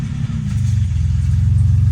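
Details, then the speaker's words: 1964 Oldsmobile F85 Cutlass, 67,000 miles, just revived after 33 years stored: a deep, loud, blatting exhaust rumble that swells as revs rise. The exhaust is leaking because the muffler is bad with its whole front blown out. It also idles a little high. "It does have a bad muffler. See the whole front of it blowed out."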